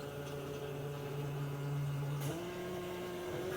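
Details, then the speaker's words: Battery/USB-powered automatic fuel transfer pump emptying a 5-gallon can, tilted to drain it; steady motor hum rises sharply in pitch as the impeller sucks air, the pump running dry, with leftover fuel draining back into the can. "I can hear it running dry. And the remaining fuel is running back inside of the can."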